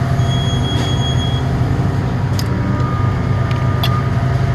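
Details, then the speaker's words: Compressor that sometimes fails to start and draws locked-rotor amps: a loud, heavy, rough drone instead of a quiet smooth hum. Mechanical failure inside the compressor. "So yeah, this thing has a compressor that is bad."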